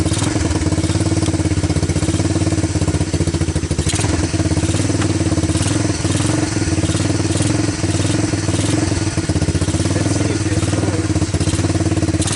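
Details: Honda TRX250 ATV single-cylinder after diesel-contaminated fuel was dumped and fuel fed from a bottle, choke on: even idle putter with steady beat, no misses or stumbles; normal idle.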